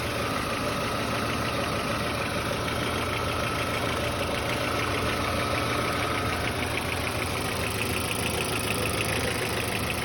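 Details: VW Passat B4 engine at idle: fast light ticking knock, about three a second, over an even engine note; owner asks whether this knock is normal, cause unknown.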